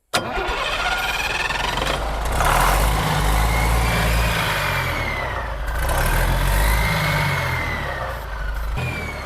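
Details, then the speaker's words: Turbo diesel being primed after the injector lines were bled: long, labored cranking with a slow surging, slurping rhythm that never catches; poor fuel prime because a loose fitting draws air, and once it is tightened the engine starts. "I can hear it sucking up here. Oh, All right, we're getting something now. all right. That sounds like my Labrador Retriever drinking water out of his bowl. Still, this don't sound like it's got a good prime."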